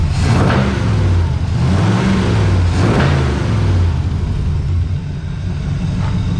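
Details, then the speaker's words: 1982 Chevrolet Camaro V8 on years-old gas, warmed up after smoking a lot: deep rumble rising and falling with throttle blips, clean and even through homemade side pipes. Owner suspects a bad flywheel section. Normal revving. "but listen to that baby purr that's old gas too like years old it was smoking quite a bit but we warmed it up"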